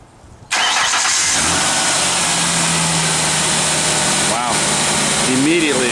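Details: 1999 Ford Ranger XLT 4.0L, about 111,000 miles, after idle air control valve replacement: engine catches instantly on cranking and settles into a smooth, even idle with no stumble or hunting; normal start and idle.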